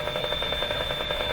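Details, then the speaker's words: Canadian Westinghouse 981 shortwave tube radio during capacitor replacement, running on 85 volts; quick regular clicking about seven per second over a steady high tone through the speaker, from unidentified household interference: clicking interference. "so i click click click click click that you just heard disappearing there's some weird interference here at my house i've never been able to figure out what it is"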